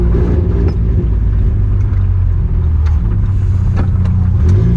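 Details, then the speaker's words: 1986 Nissan 720 pickup with a new Doug Thorley tri-tube header and no pipe fitted, pulling away slowly toward the exhaust shop: loud, deep, raw, completely unmuffled rumble, an open header with no pipe. "This is way worse than that one time I drove the 4-wheel drive for 2 months without a downpipe."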